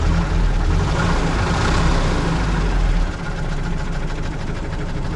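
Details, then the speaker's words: UAZ 31512 (469) that lost oil pressure to zero on the road: rough idle with a dull bottom-end knock about four times a second, less audible at low rpm. Owner suspects a worn bearing shell. "пропала давление упало давление появился какой-то шум по как штук короче возможно вкладыш где-то про верно заведен посмотрим"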